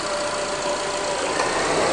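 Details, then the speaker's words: 2005 Honda Accord 2.4 VTEC at idle: steady idle with no belt chirp or squeal as the air conditioning cycles; belt runs true, no longer wandering. "okay so it's not wandering like it did before which obviously isn't going to allow us quill I'm happy with that"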